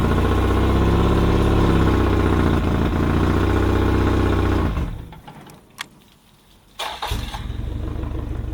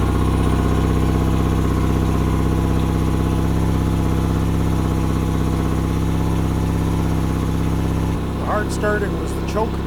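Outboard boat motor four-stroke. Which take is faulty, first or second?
second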